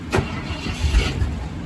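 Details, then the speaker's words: 1972 Ford F-100 Ranger XLT after ignition wiring repair so it starts from the cab: short crank catches almost at once and settles into a steady low rumble; normal engine start. "it is just the way it's supposed to be"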